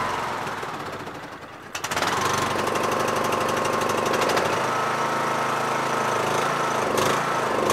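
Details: Yard Machines MTD lawn tractor, 20HP Briggs single-cylinder OHV, after magneto bypass for no-spark and oil/filter change: quiet click, engine catches at about two seconds and settles into steady, even running; healthy.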